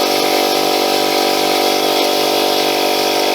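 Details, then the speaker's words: Small free air compressor after cleaning the valve plate and reassembly: loud steady drone with a rapid pumping beat near three per second; it stops pumping, air blows out at the side, and it reaches only about 30 psi. "not stopped it stopped pumping again now i can feel it blowing at the side oh no it's coming out of there"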